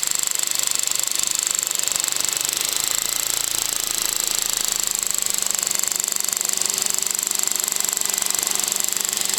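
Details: VW Golf VI 1.2 TSI 105 PS BlueMotion Technology at about 12,000 km: dense, fast metallic chatter with a steady high whistle over the running engine; timing chain rattle, which the dealer had wrongly blamed on the high-pressure pump.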